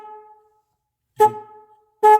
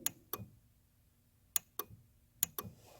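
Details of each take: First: Car horn powered directly by jumper wires to battery positive and negative: two short loud honks with a clean steady two-note tone; horn works fine, fault lies in wiring or ground connection. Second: Car with non-working horn, microphone set near the relay as the horn button is pressed: three sets of sharp horn relay clicks and no horn sound; relay works, fault traced to poor horn ground/connection.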